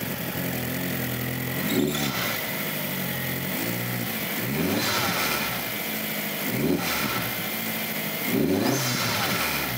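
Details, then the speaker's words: 2002 VW Jetta 1.8T that ran rough with power loss and stalling, just after its diverter valve was replaced. It revs up and drops back cleanly several times, with sharp pops and crackles from the straight-pipe exhaust; normal running with exhaust backfire. "Here, it sounds a lot better, except for the backfiring from my straight pipe exhaust. Sounds like it should run."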